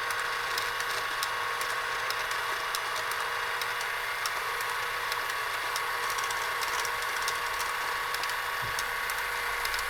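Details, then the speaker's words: Tomy Super Cup electric football game after freeing the stuck motor: a light, even mechanical whirr with steady fast clicking and no grinding. All the players move up and down, and the game is working normally. "well they're all moving up and down I think that's it that's all it was that is all it was"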